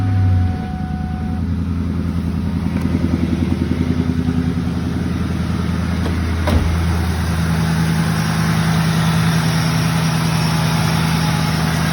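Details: 2001 Mustang Cobra after replacing worn idler and tensioner pulleys, tensioner not bouncing: smooth steady idle with low even hum, no chirp, squeal or rattle from the belt; normal idle.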